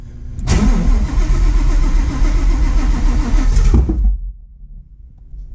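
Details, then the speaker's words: Fox body with Whipple-supercharged cammed built Coyote V8, ported Boss 302 heads, first start after 3 years: fires and runs a few seconds with irregular popping then dies; fuel pressure raised to 40; owner suspects it needs more fuel; popping, rough running. "it sounds very poppy which I'm worried [Music] about"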